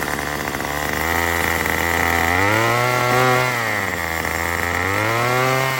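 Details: Two-stroke Murray M2500 trimmer after a new carburetor, fuel lines and cleaning: revs rise and sag in slow waves, stumbling under throttle. Still bogs; owner suspects the mixture needs adjusting with the kit tool.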